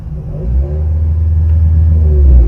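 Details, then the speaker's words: Car running while the engine is revved after a noise suppressor filter was fitted to the audio interconnect lines: only low exhaust rumble, with no rising alternator whine following revs through the speakers; the fix worked. "то есть как вы слышите фона никакого нет шумоподавитель и спас помог нам"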